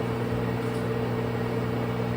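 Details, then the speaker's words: LG front-load washer in diagnostic mode after hot and cold water valve replacement, fast spin test: steady, even hum as the drum spins up, no freight-train roar; bearings sound healthy, normal spin cycle. "so that's your fast spin cycle you can see the RPMs increase now it's shutting down the spin"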